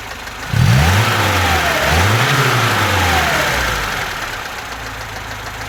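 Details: VAZ 2101 with new rockers, camshaft, valve guides, valves, chain, sprockets and pistons, valves adjusted and good oil pressure. Engine blips and settles with a steady light knock about four a second from under the valve cover, cold and hot; unexplained top-end knock.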